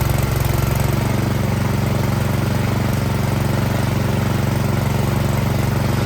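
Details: Troy-Bilt Storm 2660 26-inch snowblower after carburetor cleaning, previously surging badly, started fully choked with primer line disconnected: steady, even small-engine beat, no hunting or surging; normal running.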